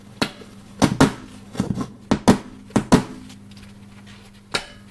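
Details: JVC VN-300 amplifier powered up with no audio input connected: sharp irregular pops and loud crackles over slight hum, attributed to faulty transistors.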